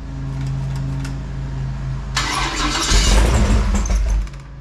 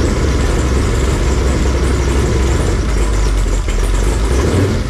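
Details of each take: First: Fresh 496 big-block Chevy V8 on a run stand, break-in, cool day, after running out of gas: steady starter cranking never settles into idle before a brief loud burst; carburetor not primed, throttle needed working. Crank, no start. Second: Fresh 496 big-block Chevy V8 on a run stand, break-in, warm near 170°F with 160° thermostat, oil pressure 55–70 psi, leaks fixed: deep, heavy rumble holding perfectly even, no knocks or ticks. Normal warm idle.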